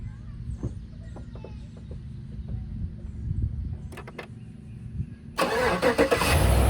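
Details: John Deere tractor that previously died, started after an oil change before dropping the pan to look for engine failure: quiet, then cranks and catches into a steady, even idle with no knocking; sounds normal.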